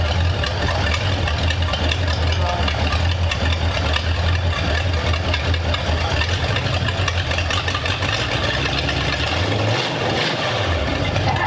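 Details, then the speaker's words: Roadster with hopped-up flathead V8 on first start, choke off: loud, rough, lumpy low rumble for several seconds, then it sags and stalls; running with the choke off suspected as the cause, floats possibly sticking. "did you turn it off no oh all right it shut itself down all right I had the choke off so it must have"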